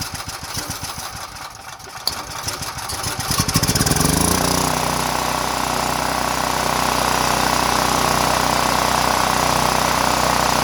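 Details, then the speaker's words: Power Mate VX Power Series generator running after its carburetor and fuel-bowl solenoid were cleaned and the on/off switch was turned on, likely still on eight-year-old fuel: a few sputtering pulls, catches near four seconds, then a steady, even mid-pitched run. "all right that's it guys better run it probably has fuel from uh eight years ago"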